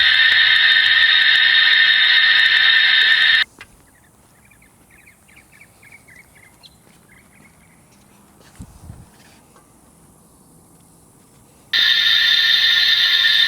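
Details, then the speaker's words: Slab leak detection with listening gear and a gauge: loud, steady high hiss that cuts off between readings and returns just as strong; pressurised water leak under the house slab, louder at one listening point. "Okay, this is screaming really, really loud. This is screaming loud, too. So, my idea if I'm listening to them is how loud are they?"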